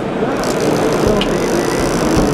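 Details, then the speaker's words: Fishing reel with all-metal internals being spun: a loud, fast, continuous crackling ratchet as the spool turns. Noisy, but this is normal for this reel design. "единственный я считаю что недостаток вот такого плана катушек это вот этот звук то есть постоянный треск огня"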